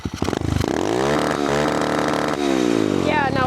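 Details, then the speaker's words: Cheap Amazon pit bike with a new motor and an adjustable rev limiter set to 9,000 rpm. Exhaust pitch climbs to a screaming peak with stuttering cut-out: over-revving against a limiter set too high. 8,000 rpm was chosen as the maximum. "So, that was the max this thing's going to rev. That did not sound good."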